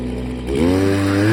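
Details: Stihl FS86 trimmer after new fuel line and fuel filter, starting easily but stalling a little: small two-stroke ticks over, then climbs smoothly in pitch as the throttle opens, no misfire or bog; runs fine.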